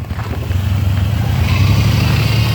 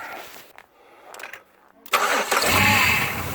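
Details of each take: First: GM 3800 V6 Pontiac Grand Prix with check engine light on, revved: lumpy, uneven drone, chirping and shaking badly; misfire from a bad coil pack. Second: GM 3800 V6 (Grand Prix/LeSabre/Park Avenue type) idling smooth after replacing one failed coil pack that caused flashing check-engine light, rough running, power loss and shaking; cranks, catches and settles to steady even idle, no misfire.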